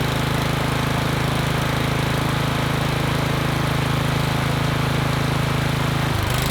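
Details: Troy-Bilt Vortex 2890 snowblower, cold start on full choke, after clearing a solidly plugged low-idle jet in the carburetor (the fuel had sat without stabilizer). The single-cylinder beat is steady with no hunting or surging and holds a smooth idle, with a brief dip at the end.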